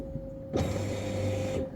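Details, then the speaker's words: Mercedes-Benz E55/CLS55 AMG fuel pumps priming after the leaking fuel pump connector was replaced with a new socket and extension harness; steady electric hum with a constant high whine for about a second, then stops cleanly; pumps working. "Okay, let's do it. I have to hear the fuel pumps."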